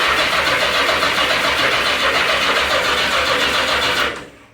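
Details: 1982 Yamaha XJ650 (4K0), over 90,000 km, carbs cleaned, floats set, spark on all four plugs: steady fast cranking, about three to four turns a second, never firing; cranks but won't start, cause unknown.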